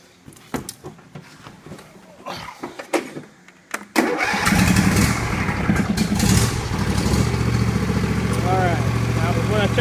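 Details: John Deere L118 riding mower after replacing the transmission fan: a few clicks and fiddling, then the engine catches at once into a steady, even idle with no knocks.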